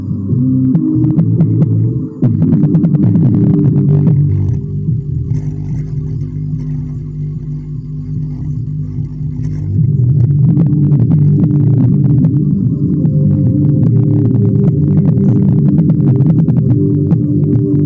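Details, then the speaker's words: Repaired homemade active speaker amplifier running on an 18 V transformer plays music cleanly but bass-heavy and muffled with little treble; the hum is gone after fixing the intermittent RCA cable to the potentiometer. "sekarang suara dengung nya udah hilang jauh berkurang terus potensionya udah normal volume dan frekuensi nya udah bagus normal"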